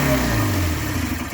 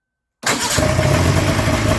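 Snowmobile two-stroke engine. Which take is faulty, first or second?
first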